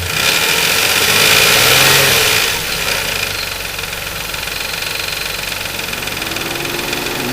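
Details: 2004 Nissan Quest 3.5 V6 revved briefly: metallic rattle and whir rising with revs, the sound of a timing chain starting to go.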